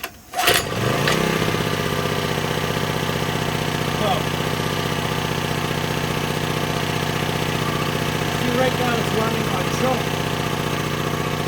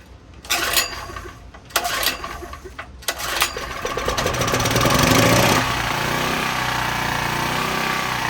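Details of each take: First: Cheap secondhand small generator after carburetor cleaning and rebuild, started on choke. It catches after a brief crank and settles into a steady, even drone with no misses or surging; normal running. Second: Cheaply bought unknown small generator with a slightly leaking carburetor, possibly running on old gas: engine pops and bursts unevenly, then runs rough with a wavering note as the governor hunts; surging because it struggles to draw in fuel.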